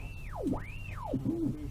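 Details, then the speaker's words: Valve radio with EF75 (Pye) fault while tuning stations: whistle swooping down and back up in pitch; IF transformer stage instability, silenced by bridging the decoupling capacitor. "right you know what that is don't you IFT cutting if I slap a capacitor across the decoupling capacitor off that's it"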